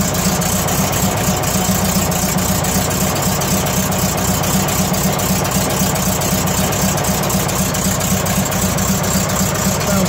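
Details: 1970 VW Type 2 bus with Riviera conversion, heard from underneath during a pre-purchase inspection. The air-cooled flat-four gives an even, steady putter with no knocks or misses: a smooth, healthy normal idle.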